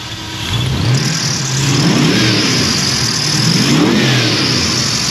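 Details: Junkyard 5.3 LS V8 for 1982 GMC C10, about 35 psi oil pressure, before warm-up: runs smooth and even, picks up cleanly through two quick blips and settles back; healthy.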